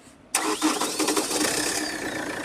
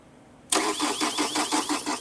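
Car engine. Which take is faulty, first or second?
second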